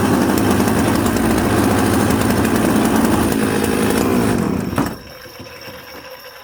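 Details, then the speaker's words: Chainsaw built from Husqvarna 266 and Jonsered 630 Super parts: revs hard with a rough, smoky, uneven burble, then drops to a lumpy idle. It is running rich with a bumble off idle. "so you hear how smoky it had a little bit of a bumble off idle"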